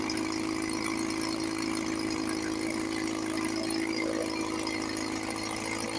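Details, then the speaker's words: 1954 Johnson 5.5HP two-stroke outboard, barn find revived after about 60 years with new cover, cylinder head, straightened carburetor linkage and pull starter, cover on, fuel bulb hand-pumped, water pump pumping nice. Even, steady buzz, no misses or stumbles: normal running. "Sounds sweet. run for a few minutes before I got to pump the bowl again. Water pump's pumping nice. Love it."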